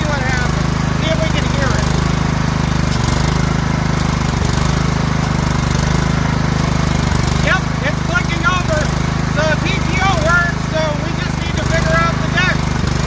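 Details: Kohler-engined riding mower with pumps on the side, deck belt missing, PTO engaged, throttle full: deep, steady engine drone at even speed with no misses or surging; runs fine, thought to mainly need a starter solenoid.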